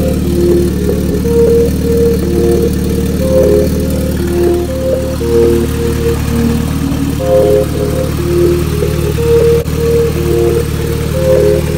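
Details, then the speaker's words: Car just fitted with a new turbo, idling on an open downpipe with the muffler removed. Steady, even low rumble with no misses or knocks under background music; it runs normally. "all right so the cars all done she sounds good I'm over an open dump tube right now"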